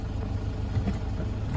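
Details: 2009 Toyota Hilux 1KD-FTV diesel, 218,000 km, after replacing one faulty injector. Idling in drive and reverse with air-con on: low, steady, with no knock, miss or hunting. Normal idle under load.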